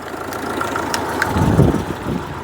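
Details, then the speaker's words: Citroen GSA air-cooled flat-four just after starting: rough, uneven idle with sharp, sparse snaps, which the owner believes is electricity escaping from the HT leads, long overdue for replacement. Cause suspected, not confirmed. "oh I can hear I can hear electricity escaping from the HT leads"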